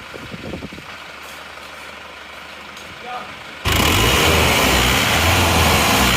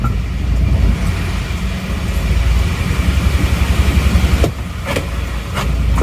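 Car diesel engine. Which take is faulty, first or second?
second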